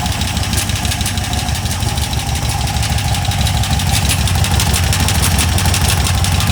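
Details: Cheap LS 4.8 LR4 V8 on a run stand at rough idle: fast uneven deep knock about three a second, worsening with revs; owner suspects a lifter coming apart or a piston letting go, unconfirmed.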